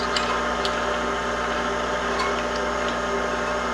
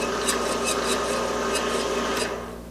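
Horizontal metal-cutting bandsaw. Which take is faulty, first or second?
second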